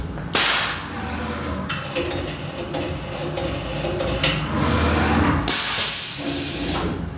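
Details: New SkyfireCNC SVM1VMC CNC milling machine at first start, M06 T05 tool change run in MDI: sharp air blasts with clunks of tool releasing and clamping over steady machine hiss; normal automatic tool change.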